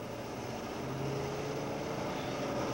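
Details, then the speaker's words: Gasoline engine with glowing carbon deposits acting as spark sources under high compression: low, rough, uneven droning rumble of about 600 to 1500 cycles per second; deposit ignition rumble from random pre-ignition. "one result of deposit ignition is engine Rumble a random pre-ignition that is often accompanied by this sound of 6 to 1500 cycles per second"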